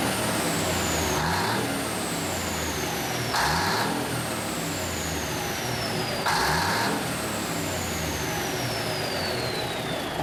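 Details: 1974 Kenworth W900A, Cummins NTA420 diesel, idling inside a building after three years sitting: even, steady idle with a few short throttle blips and bursts of air hiss; runs smooth. Normal diesel idle.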